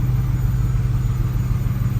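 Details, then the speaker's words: 1971 Ford F100 XLT Ranger Heavy Duty Special V8 with 2017 F150 6R80 transmission, after torque converter repair, driveshafts removed, temperature coming up while idling: deep, even, low rumble with steady beat, no knocks or misses, purring quietly; normal idle. "But this thing is purring like a kitten. It is super quiet. Sounds great."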